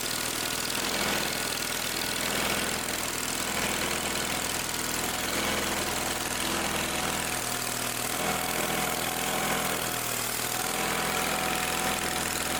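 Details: Old Simplicity tractor engine that wouldn't start: catches and settles into a steady even run with fairly constant note, no misses or knocks.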